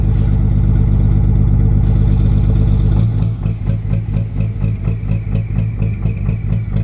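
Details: 2004 5.9L diesel truck smoking black and knocking at idle after a long trip: sharp knock about four times a second over the idle, one injector standing out; kill test isolates cylinder 5 injector.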